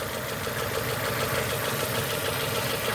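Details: 2002 Nissan Almera N16, QG18 cable-throttle engine, after spark plug change: lumpy, stumbling idle with shaking; cylinders 3 and 4 not contributing because their ignition coil connectors were swapped, running on two cylinders.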